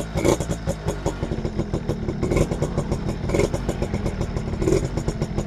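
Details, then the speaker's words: Suzuki RC100 two-stroke just after cleaning, microphone close to the exhaust: crisp, quick popping idle with even firing and small throttle blips. This is a normal, healthy two-stroke idle. "masih renyah ini guys suaranya masih renyah ini mesin halus"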